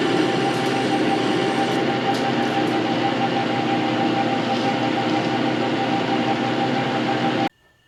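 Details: Metal lathe bought non-running and disassembled, running after cleaning, painting, reassembly and rewiring: steady even mechanical hum with constant tone, no knocks or grinding, until shut off; runs smoothly.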